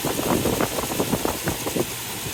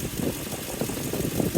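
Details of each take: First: 2003 Toyota Tundra 4.7 V8 2UZ-FE, just after timing belt, tensioner and water pump replacement: steady even idle with light top-end patter, no misfire; good oil pressure, coolant being bled; healthy. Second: 2003 Toyota Tundra 4.7 V8 2UZ-FE after timing belt and water pump replacement, heater not blowing: idle with a wavering whoa-whoa whir pulsing a few times a second; owner suspects a pulley, possibly unrelated.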